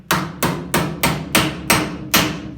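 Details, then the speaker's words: Hammer struck directly over a dolly while metal finishing a weld seam on a 1950 Chevy 3100 cab corner: sharp bright even ringing blows, about three a second, showing correct on-dolly placement versus dull off-dolly hits. "You might have already picked up on this, but when you're using a hammer and dolly, I'm just going to strike this directly. You hear that? That nice sharp ringing sound?"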